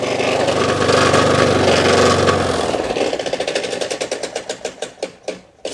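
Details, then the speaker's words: Old lawnmower engine runs with a rough clattering beat, then winds down in slowing heavy knocks; owner calls it rod knock, not confirmed. "But I thought I might mow the back lawn, and what better way to end the fucking, what do you call it, end today's vlog with a bit of rod knock."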